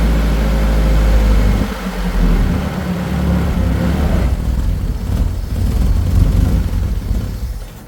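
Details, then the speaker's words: Nissan 240SX project car starting on its own, clutch in: deep, steady low rumble settling into an even, quiet idle with no knocks or misses. "Listen to that. Nice and quiet, just like I planned. It's quiet. She runs on her own, fires up on command."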